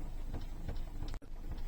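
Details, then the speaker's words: Hyundai i10 with AC on: steady low ticking about three per second from behind the glovebox, heard only when set to inside-air recirculation, not fresh air; the faulty recirculation door actuator motor causes it, fix is replacing the motor. "ഈ motor complaint ആയിട്ടാണ് അങ്ങനെ complaint ആ ഒരു sound വരുന്നത് ട്ടോ"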